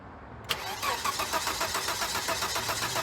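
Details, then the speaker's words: 1993 Volvo 850 sedan, low mileage, bought at auction, first start attempt: starter spins engine fast with an even rhythmic chug around four beats a second; strong, healthy cranking. "healthy that sounded healthy I don't know if that picked up well on the camera but dude that sounded that sounded like my t5r the way it cranks over like that's a healthy crank"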